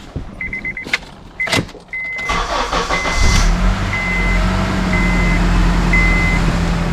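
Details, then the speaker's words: 2007 Honda Accord at its first start right after replacing the power steering pump and hoses, self-bleeding while the wheel is turned. Smooth steady idle, no belt or pump screech; the power steering is working normally. "No screeching at all, and that's the first time I started it right after the repair and install, so it goes to show you Hondas are pretty good daggone cars. No screeching from the belt. Sounds like this thing is fixed."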